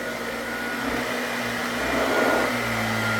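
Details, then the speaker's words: Vintage Hoover Junior 119 vacuum cleaner running: steady, even motor whirr with no rattle, surging or scraping; it works and sounds smooth, though it blows dust out because the bag needs cleaning. "It works and it sounds smooth."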